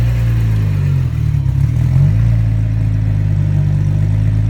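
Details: 1999 Audi A4 Quattro engine now runs but drones, stumbles and dips as the throttle opens, then recovers unevenly; hard hesitation on throttle and rough running, cause not yet known.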